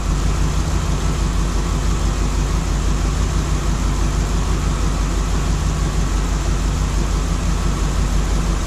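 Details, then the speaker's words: LS3 V8 in a 1955 Chevy Nomad, first start since 2017, cold: rough loping idle as if one cylinder isn't firing; misfire at idle, owner suspects something not connected, miss later cleared. "so it's actually running sounds like I got one of this someplace so what Maya find out which one is not hitting right now"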